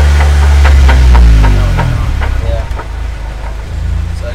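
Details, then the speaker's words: Jeep axle on jack stands, wheels spun up, listening with a punch: heavy low drone with rough regular clacking about three per second tracking tire speed, first guessed ring and pinion or carrier bearings; damaged differential ring and pinion gear teeth. "use a little punch just so I can hear inside the sound was kind of resonating everywhere but it's definitely coming about tire speed so we're gonna guess it's baby gear set or carrier bearings"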